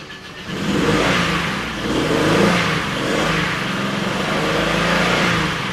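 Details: Oldsmobile Silhouette van, jump-started after sitting: high-pitched knock/tick at idle, running rough with misfire, fading when revved so not rod knock; cause found to be a loose bolt on the rocker arm.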